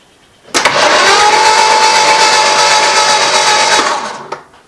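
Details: 1979 Jeep CJ-5 non-runner, newly installed starter and new solenoid, jumped from a battery cable with distributor cap off; steady high-pitched whirr spinning the engine freely for about four seconds, even and unlabored, normal cranking.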